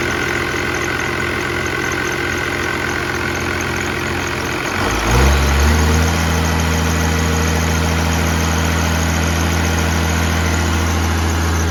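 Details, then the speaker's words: 1969 Dodge D200 Sweptline with a swapped 5.9 first-gen 12-valve Cummins, warming up after a -4°F cold start; battery not charging. Even, steady diesel idle clatter with a brief rev near five seconds, then a smooth idle: normal diesel idle. "this thing's really coming together just love to be able to hear it running under Cummins power in an old 69 swept watch"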